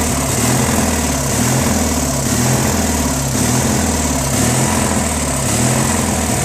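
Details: Briggs & Stratton 16HP opposed-twin on a Murray garden tractor, oil just changed: idle rises and falls about once a second, lean surge; runs good with some choke, full throttle sounds fine; owner thinks a missing Welch plug starves fuel.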